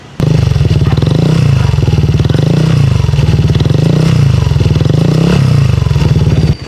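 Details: Yamaha NMAX scooter idling with 4S1M Street Core V3 muffler: loud deep exhaust note with metallic rattle and vibration, caused by insufficient fiber wool packing in the pipe.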